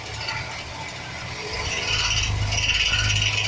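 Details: 2007 Chevy Express 1500 4.3 V6, engine running: a fast uneven metallic rattle, about two or three per second, growing louder from the transmission area. This is attributed to a bad starter gear bumping against the flexplate.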